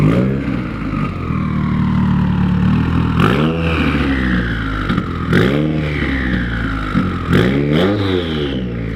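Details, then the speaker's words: 2020 Subaru WRX FA20 DIT turbo with Tomei exhaust and PLM J-pipe, freshly modified, given light free revs: engine blips repeatedly, each bringing a rising then falling turbo whistle, not overly loud; smooth, healthy spool. "Doesn't sound bad at all. Matt, go give her some baby reps for me. It's very turbo sounding."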